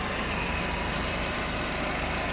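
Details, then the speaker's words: 1994 Volvo 940, 100K miles, after sitting 7 years, with repaired fuel system, new timing belt, seals, water pump, tensioner, belts and thermostat: steady, even idle with no knocks, misses or squeals, running nicely. "running pretty nice"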